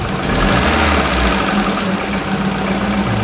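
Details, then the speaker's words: 2002 Kia Visto after repairing the idle speed control valve, which had let the revs hang and rise: steady, even idle hum with no hunting, staying stable with the AC switched on; normal idle. "Le akan tetap stabil seperti itu nah coba kita nyalakan AC ya teman-teman kasih nyala Agas masih stabil tidak ada getaran"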